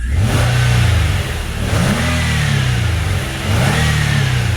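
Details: Nissan Altima race car after the alternator was plugged back in, charging with no flickering lights: engine revs up cleanly and drops back twice, smooth and even with no misses; normal revving.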